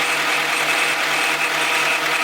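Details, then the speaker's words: Honda CRV at idle after a snapped timing belt repair: a steady high-pitched whine over the idle, not from the engine, that doesn't follow revs. Owner suspects a bad pulley or the power steering pump running low after the fluid leaked out. "But also, I feel like it could be maybe, I completely ran out of power steering. So maybe it's that."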